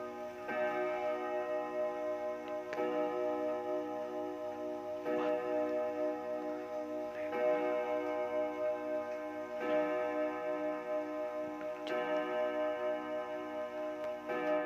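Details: 1936 Junghans W64 five-rod chiming clock, probably never renovated, with its case slightly out of beat, striking the hour: ringing gong blows evenly about every 2.25 seconds, each clean and sustained; hour strike working properly.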